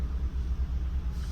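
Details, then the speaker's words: 2015 Kia Cerato with a constant shake: low, uneven lumpy idle with a pulsing beat instead of a smooth hum; scan tool shows misfire counts on cylinder 4. "السياره هذه فيها هزه على طول هزه موجوده فيها"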